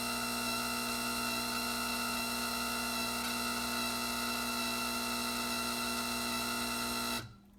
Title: Whining noise Gaggia Anima